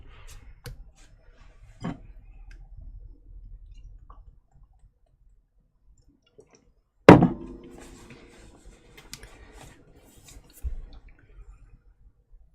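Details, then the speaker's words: Apple HomePod with DC offset ("death fart") symptoms: quiet room with light clicks, then one sharp loud pop from the speaker with nothing playing. Speaker popping from DC offset. "let's bring in Ryan's homepod here with some DC offset symptoms go ahead and take a listen to that here"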